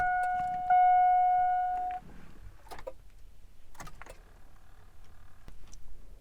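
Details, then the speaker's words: 2002 Chevrolet Tahoe won't start: with the key turned, lights work but only single sharp solenoid clicks a second or so apart, no cranking; the starter motor has failed and is being replaced. "so with that we're changing out the starter because as you could hear the solenoids clicking but the starter is not working"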